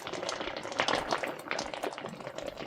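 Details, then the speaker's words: Well casing after shocking with a gallon of bleach: irregular bubbling and gurgling splashes with no steady rhythm; cause unclear. "Oh, I hear it. It's gurgling. Listen to this. I don't know what it's doing."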